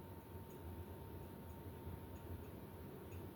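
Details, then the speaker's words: 1986 52-inch ceiling fan of unknown make, starting up on high. A steady low motor hum with a faint, high metallic ting every second or so; the pull chain ticking against the housing is suspected but uncertain. "not sure the tinging noise that it's making I'm not sure what's uh making that noise I want to say it's the pool chain making that noise but they're not really moving enough to do that"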